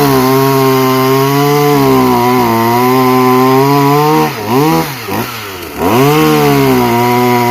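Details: Two-stroke chainsaw built from parts of three broken saws, chain freshly tensioned: strong steady buzz that bogs and recovers as the chain bites into wood; the saw runs and cuts properly.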